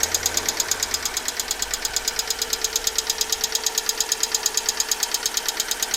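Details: Alfa Romeo 147 1.6 Twin Spark 120hp at idle, started two days after an oil change with 10W40 and an engine flush: sharp, regular metallic tick about three per second; fixed by replacing all 16 hydraulic lifters.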